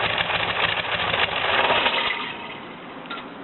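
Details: VW air-cooled "new" replacement engine after carb cleaning and jet replacement, still on break-in oil. The owner suspects occasional smoke will stop after an oil change. Even, steady idle patter through a quieter new exhaust, with no misses or knocks. Normal idle.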